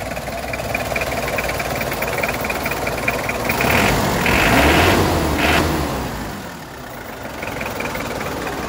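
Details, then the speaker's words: 2005 Mitsubishi L200 Strada GLS 4x4, first generation, 2500cc 4D56 turbo-intercooled diesel; steady, even idle, then a clean rev that rises and settles back without hesitation; healthy engine. "ini pemirsa suara mesin dari Mitsubishi Strada L200 Maaf pemirsa karena agak tinggi ini mobil jadi susah untuk Mesut sektor Global gasnya bagus pemirsa tidak ngos"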